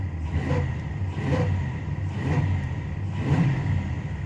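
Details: Monte Carlo, owner suspects flooding; car also shuts off when coming to a stop: low engine rumble surging about once a second with no clean idle; alternator pulley later locks up, accessory-drive drag suspected, not confirmed.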